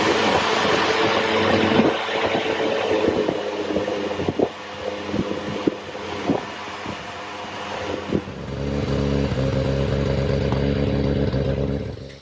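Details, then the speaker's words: Triumph Herald 13/60 with freshly rebuilt Spitfire-spec engine, first start on choke: ragged catching and popping, then steady even idle; slight exhaust leak and water leak from rear head core plug. Engine running after first start. "okay so I got a bit of an exhaust leak bit of a water leak but it's running"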